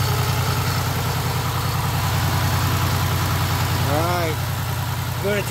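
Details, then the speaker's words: 2006 Pontiac Grand Prix base after top swap with new exhaust valve seals; steady, even low idle rumble about 3.5 pulses/s, no stumbles – smooth, healthy. "turn the heater on full man it's running so smooth"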